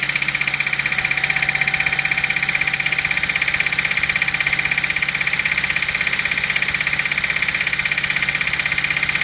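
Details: 1991 Dodge Stealth idling: steady engine knock at about three beats a second, slowing and fading as the engine shuts off.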